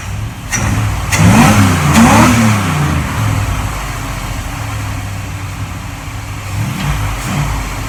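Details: 1947 Ford Tudor street rod, carbureted V8 with Holley carb: after adjusting the carb base screws, two quick blips settle back to a fast but steady idle with no whistle over the exhaust; runs properly.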